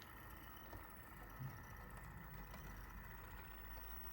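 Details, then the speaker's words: Dapol class 59 model locomotive "Village of Mells" crawling slowly on level ground while pulling JHA wagons: a low motor rumble with a constant thin squeal on top, a very squeaky, noisy drivetrain. "This ARC1, Village of Mells, as you can see and you can hear, it's very squeaky. A lot of noise coming from the drivetrain."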